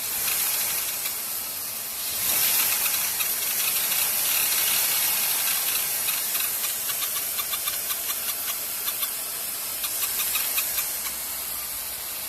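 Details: 2001 Mercury Sable after a new serpentine belt, idler pulley and tensioner: idles fine, but above about 1,000 rpm light, rapid metallic chirps like tree frogs appear. Not belt-related; unchanged by water on the belt or by the AC. Cause unclear.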